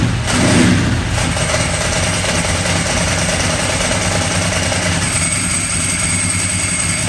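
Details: Ducati 998 Testastretta V-twin after inspection service with faults cleared via diagnostic tester: loud, lumpy but steady idle with the usual dry clutch rattle, no irregular beat; engine healthy.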